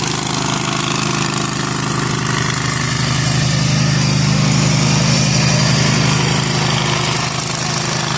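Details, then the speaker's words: Zero-turn lawn mower under cutting load in overgrown grass after fitting new deck spindles with new bearings: steady, even engine drone, smooth deck, no bearing growl or squeal. The spindles are very quiet and the mower runs healthy. "Okay, guys. I could not be more impressed with how this just turned out. Now, I granted just a little section, but you seen how overgrown that was. These bearings on these new spindles are so quiet."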